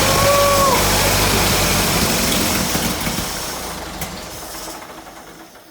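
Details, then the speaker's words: Rebuilt 1929 Ford Model A four-cylinder on its first start, radiator empty and spark advance not hooked up: it catches and runs briefly with a steady, even chuff before shutting off, a healthy first start. "Yeah, good deal. Car runs. I don't have any water or anything in the radiator, so I don't want to run it too long."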